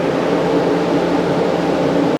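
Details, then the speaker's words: Yamaha RD250, believed 1973, test-run on a shop stand with total-loss ignition after carb adjustments: steady, even two-stroke buzz without misses before cutting off; healthy running, though it floundered midway with the fuel tap left off. "guys there you have it a test run on the Rd uh 250 I believe it's a 1973 model uh everything it sounded pretty good"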